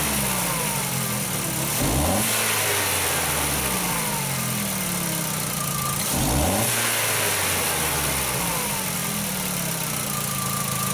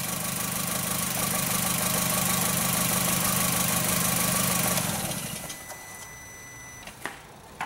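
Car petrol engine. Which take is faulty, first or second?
second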